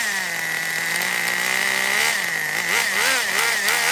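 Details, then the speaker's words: Kyosho nitro RC Baja Beetle held up off the table: a high, buzzy nitro engine revs freely, rising and dipping cleanly; it is healthy. Forward and reverse engage, but power is lost in the drivetrain, possibly a bad diff. "okay well the motor is obviously fine the gears are fine i kind of uh lift it up like this and gave it some throttle both forward and reverse seemed uh correctly engaged"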